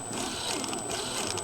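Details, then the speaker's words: Axial SCX10 III JLU 1:10 RC crawler reversing with its wheels held back: electric drivetrain whir with faint, irregular clicking from both front and rear diffs, heard only in reverse. The owner thinks shims are needed for smooth running. "There's this funny clicking. That's the front diff. Yeah, okay, you can hear this. You ready? Hear that clicking? You can't hear it going forwards. It's not there, but in reverse, both diffs do it."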